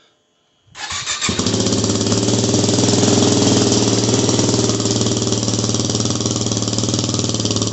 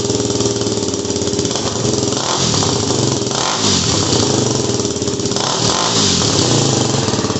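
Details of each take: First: Yamaha WR250R with Honda CRF230F muffler repacked (new fiberglass, stainless screen, RTV sealed), cold start: single catches and settles into a steady, even, mellow thumping idle; owner thinks it sounds a little better. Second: WR250R fitted with a cheap CRF230F muffler, a couple hundred miles on, fiberglass packing blown out and DB killer installed, before repack: single-cylinder blips and idles with harsh, raspy, overly loud bark and crackle; loud exhaust from blown packing.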